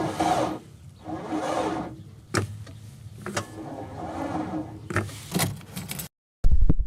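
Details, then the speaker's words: Old Mercedes-Benz T1 diesel bus on a cold winter day below freezing, glow plugs preheated: starter groans in short labored bursts and never spins the engine; old battery too weak, replaced with a new one. "I think it should be clear to you judging by those sounds we're not going anywhere it won't spin so we're installing a new battery"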